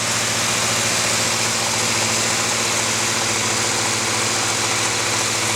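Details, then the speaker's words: 1979 Oldsmobile 403 V8 (original '79 Trans Am K motor) idling on a homemade run stand after first start: even, unbroken burble, no misses, knocks or ticking; not overheating, may need timing tweak, charging works; normal idle. "not bad pretty happy though front stand is just sitting there doing nothing all right it's not overheating looking good I might have to mess with the timing a little bit but everything [Music] works"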